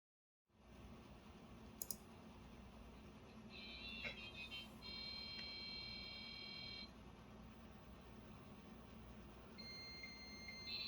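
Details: Dial-up modem on a Livingston Portmaster 2E terminal server, port S1 at 57600, with a Windows XP client: steady hiss with whistling tones and chirps in a normal handshake. It connects, gets an IP address and pings the internet.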